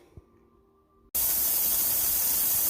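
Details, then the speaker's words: Nesco smart canner canning potatoes, 10-minute venting phase before switching toggle to airtight; display shows E10 meaning venting, not an error. Quiet, then a sudden loud steady hiss without pulsing; normal steam venting before sealing and pressurizing. "I did want to let you guys know that when it shows this E, don't think that means error. It will show E10, and that's when it's venting."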